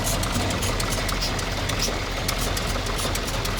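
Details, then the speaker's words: 1923 McFarlan Model 154 T-head engine running slow and deep, with a sharp rhythmic hiss puffing from an open primer cup; noticed while driving, then the hood was opened to close it. "one of the primer cups is open hear the engine the hissing yeah another yeah one of your primer cups is open I think"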